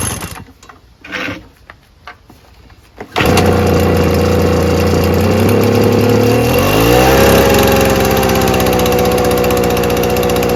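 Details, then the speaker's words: Small two-stroke engine, used once, primed six times: a few cord pulls, then it catches and settles into a steady buzzing idle with one smooth pitch change; normal start and idle. "there we go kind of started maybe I should trigger this a littleit"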